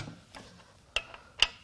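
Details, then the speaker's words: Failed 2019 Ford F-150 3.5L twin-turbo EcoBoost V6 on the teardown stand, plugs out, turned by hand to check timing: a few sharp isolated metallic clicks suggesting loose pieces inside; debris rattle suspected, not confirmed. "oh that sounded terrible let's keep going uhoh bad stuff has happened no we just power through it it got really tough for a minute"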